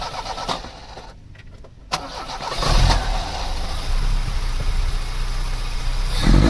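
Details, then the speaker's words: Vauxhall Cavalier GL, 1.8 litre engine with SRi 130 top end, 45,000 miles, after airflow meter swap made no difference: cranks, catches, lumpy idle with uneven stumble; misfire traced to cylinder three, injector suspected. "yeah we have a problem with cylinder three that's definitely the one that's giving us the problem"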